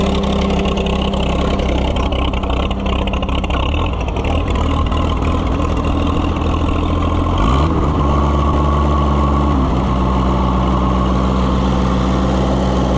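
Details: Oliver 77 gas tractor, not run for a while, just started after the carburetor was tapped: steady, even low thumping idle with a brief blip around the middle, then settles back; running fine.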